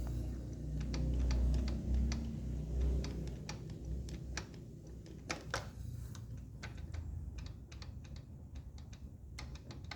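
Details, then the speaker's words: Honda XR150 motorcycle, 18,000 km, stopped engine rocked back and forth by hand: sharp metallic clicks about three a second from piston slap. Running without oil wore the rings and piston skirt; connecting rod still to be checked. "Ese es el faldeo del pistón. Al quedar sin aceite se habrán comido los aros y también gastó el pistón."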